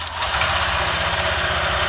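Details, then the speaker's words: Honda Vario 150 LED old after installing a TCI driver/power-up on coil, fuel pump and injector lines: brief, lighter starter whir, engine catches and settles into a quick, even putter with light mechanical buzz; normal start and idle. "Starterannya lebih enteng, lebih ringan, starter lebih ringan. Responnya sip."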